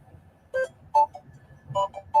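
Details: Bambu Lab A1 Mini 3D printer starting a print: short run of four bright electronic notes over quiet room hum; normal start-up tune.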